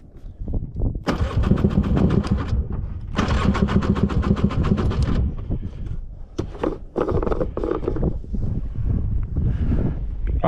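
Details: Old two-stroke Polaris 6x6 after a budget rebuild, maiden run; two bursts of fast rhythmic cranking, then catches and runs in uneven pulses; normal starting and running.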